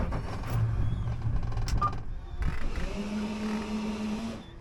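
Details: Boat outboard right after replacing the fuel/water separator, installed dry without prefilling: starter whirs steadily with no firing. It wouldn't start until the fuel primer bulb was pumped several times.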